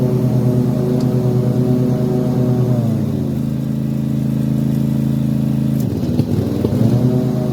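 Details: Toro TimeCutter mower with a Kawasaki FR691V twin engine, hot: it runs unevenly, dipping, skipping, cutting out and popping, then picks back up. Once warm it runs fine for about 10 minutes before this starts. Cause unknown.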